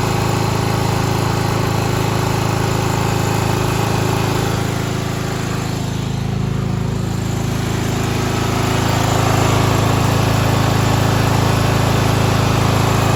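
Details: 1995 Craftsman LT4000 lawn tractor, single-cylinder engine, after sump gasket replacement, throttle picked up: steady thump with a buzzy rattle that fades when the panel is held. Loose hood panel vibrating; engine running nice.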